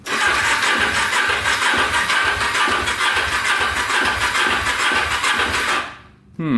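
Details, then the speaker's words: 2000 Kawasaki Ninja 250 with Yoshimura pipes, 19,695 miles, non-runner on jumper battery, first electric start: loose uneven knock about two a second over the exhaust; owner fears rod knock; knocking on start. "hearing like a knocking sound in the engine here. I don't like that. So hopefully we don't have a rod knock here."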